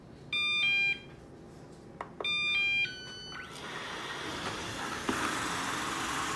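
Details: Ecovacs Deebot robotic vacuum after new side brushes fitted, test run on a table: two rising start-up chimes, then a steady whirring hiss as motor and brushes spin up evenly; working normally.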